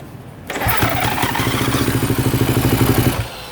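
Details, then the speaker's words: 2016 Kawasaki KX250F with voltmeter tapped into the fuel pump junction: kicked over, fires unevenly about two and a half seconds then dies; owner suspects bad connection at the often-unplugged, dielectric-greased fuel pump connector. "started for a second di all right okay she runs again now I'm just starting to question do we have a bad connection between here and there"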